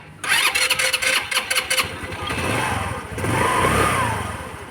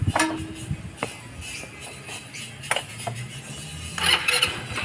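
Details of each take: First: Rusi Gala 125cc scooter with carburetor needle clip moved to position two (from six): starter churns in short bursts over a second before catching, needs throttle to stay lit and dies quickly; hard starting from wrong needle clip position. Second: Rusi Gala 125cc scooter after its carburetor needle clip was moved back from position 2 to stock position 6 to cure hard starting. It now fires on the first short crank and runs evenly, a clean one-click start.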